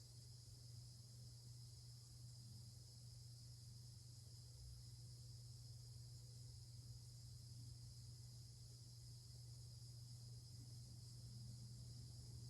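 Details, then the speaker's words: Hampton Bay Carriage House 1 hugger ceiling fan, about 1999–2000, low speed: constant low electrical hum of unchanging pitch; motor buzz. "And here's low. And as you may hear, it does have a buzz to it, so. But I mean, whatever. I've heard worse."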